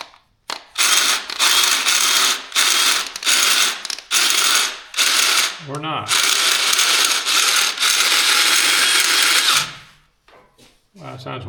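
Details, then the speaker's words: DeWalt cordless drill after reassembly, left-hand-thread chuck screw refitted: harsh rattling ratchet grind in repeated bursts with each trigger pull; the gearbox is clearly not meshing right. "that sounds horrible. Something not bright."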